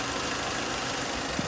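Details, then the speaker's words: Salvage-auction Renault Kangoo, recently fitted new alternator and proper pink antifreeze, idling in a yard on a windy day: quiet, steady idle with only a faint light rattle, no misses or knocking; healthy engine. "And I know engines do sound a little bit rattly on video, but that is so quiet, hopefully you can hear how quiet that is."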